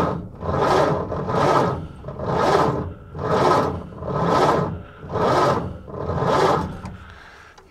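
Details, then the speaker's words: 1930 Ford Model A Deluxe Coupe, last registered 1980, first start attempt with a flaky ignition switch: very slow, laboured cranking about one heave per second with lots of compression; starter struggling, weak battery suspected. "That sounds horrible. Lots of compression, lousy battery."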